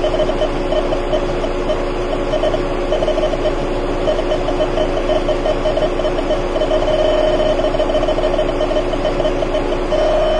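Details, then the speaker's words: Car AC system with engine and compressor running, electronic leak detector probe moved toward a known leak spot: fast, steady beeping over the engine hum, quickening closer to the leak; refrigerant leak detected. "Well, hopefully you can hear it beeping. And indeed, as I get closer to where that leak was."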